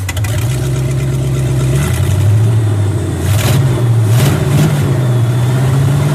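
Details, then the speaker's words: International Scout with new carburetor, running great five minutes earlier: low lumpy idle with uneven blips when revved, rough running; owner suspects ignition, cause not confirmed. "you hear how awful it start now it was running great about maybe 5 minutes ago"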